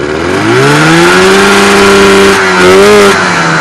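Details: Polaris TXL snowmobile two-stroke engine, freshly rebuilt with a home-bored and honed cylinder, running during break-in: a crisp buzz climbs smoothly in pitch, holds, dips and rises again cleanly. Revs freely and evenly; healthy.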